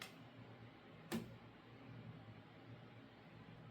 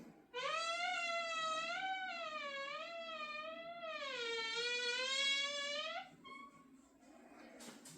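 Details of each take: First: Door swinging slowly after its hinge pins were cleaned and lubricated a couple of days earlier: no squeak or creak, just faint room hum and one soft bump; normal quiet hinge. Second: Door opened slowly gives a long, wavering squeal from a dry hinge, metal-on-metal contact with poor lubrication; opening quickly avoids the squeak.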